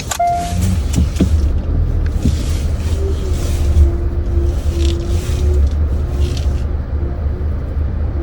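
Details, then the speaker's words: 2025 Hyundai Avante CN7, 6,000 km, worse in cold winter: drawn, wavering squeak repeating while reversing with brake held and steering turned, over low engine and road rumble; source unknown. "보통 후면 주차를 할 때 브레이크를 밟은 상태에서 핸들을 돌리고 후진을 하잖아요. 근데 그럴 때마다 끼익 하는 소음이 나요."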